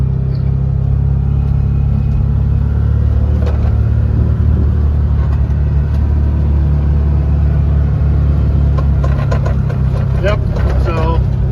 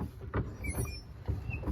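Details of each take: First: 2020 Can-Am Defender Pro HD10 in high range, road test after repairing driveshaft carrier bearing noise: steady deep engine and driveline rumble, no whine, growl or knock; suspected front driveshaft rubbing no longer heard. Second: 2020 Can-Am Defender Pro HD10, center skid plates removed, noise duplicated at the front driveshaft: four low, rough thumps about twice a second. It occurs only in four-wheel-drive high at higher speeds, and the driveshaft carrier bearing is the suspect.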